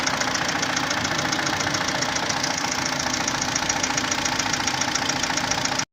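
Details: 2011 Hyundai Santa Fe 2.4 (4GKE) engine, warm idle: sharp even tapping about three to four times a second over the hum; engine knock when hot, cause undetermined.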